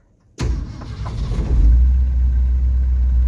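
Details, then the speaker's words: 1969 Ford F100 after cleaning up the coil wire, fixing a bad ground wire and adjusting the timing because the starter dragged when cranking: short crank, then a clean catch and steady, even low rumble. Normal engine start. "that's better"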